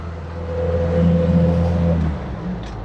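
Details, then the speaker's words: Jeep Comanche MJ five-speed manual on its first test drive in years, third gear under light throttle: smooth steady drone with no whine, grind or clunk; transmission sounds healthy. "third gear well surprisingly this little five-speed transmission isn't making any bad sounds I like that"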